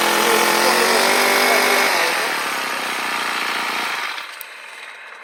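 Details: Old two-stroke brush cutter that stalled when throttled, run after removing the fuel cap's inner cover to clear the hardened, blocked vent: buzzy note holds high revs, then eases down evenly without stumbling; running steadily.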